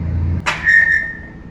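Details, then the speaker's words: Fiat Idea with GM engine, radiator cooling fan spun by hand: a brief scrape, then a thin steady high whistle that fades as the fan slows. The fan motor whistles loudly when the car switches it on. "aí escutou é que na mão assim às vezes não dá para escutar direito mas isso quando o carro liga a ventoinha faz um barulho tremendo"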